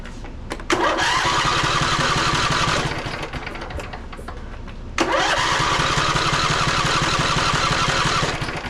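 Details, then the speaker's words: Poulan Pro 700EX twin-cylinder riding mower that bogs or dies under load: two cranking bursts with a light, lopsided rhythm and no firing; the compression gauge reads zero on one cylinder because a valve is held open. "It's not even moving. There's nothing on the needle at all. Question is the piston moving? We know we don't have compression."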